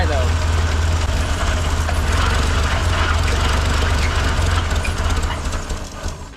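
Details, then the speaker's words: 1958 Lull telehandler, carbureted engine, sitting 15 years, run on an electric fuel pump; barely holding a rough, uneven idle with a faint light knock on the low rumble, source (top or bottom end) unclear; engine knock at rough idle. "okay it's running but barely we've got so many problems with this carburetor did get it to idle up a little bit uh it sounds like we got a little bit of a knock and I can't tell if it's from the top end or the lower end"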